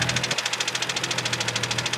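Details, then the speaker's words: Turbocharged Nissan 370Z after hard driving; hard, rapid, evenly spaced metallic knocking, about ten per second, a badly knocking engine that has blown up. "i mean once i did stuff to it i'm gonna do it i think it's gonna happen regardless but listen to it he's knocking"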